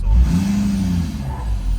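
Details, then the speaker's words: 2011 Ford F-350 6.7 Powerstroke diesel burning lots of oil, blowing white smoke with oil cap on: deep rumble climbs sluggishly when revved, sounds held back as if the turbo isn't free-flowing; restriction, cause unconfirmed. "it's revving a little weird it sounds like it's being held back like the turbo's not actually free-flowing like it's it's got resistance on it"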